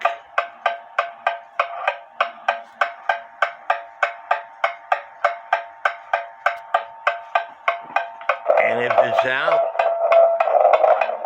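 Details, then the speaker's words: Novelty cuckoo clock heard through a beat amplifier; sharp ticks about 98 per minute with slightly uneven spacing: clock out of beat. "like I said if it's if if your clock's not staying running you could tilt it one way or the other to get that even Tick Tock you hear it's off"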